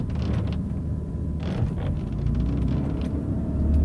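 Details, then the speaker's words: BMW M3 cabin while driving, before the fix: short dry creaks and ticks over low road rumble from interior door trim creaking. "One of those is how much this car creaks inside. It's bad."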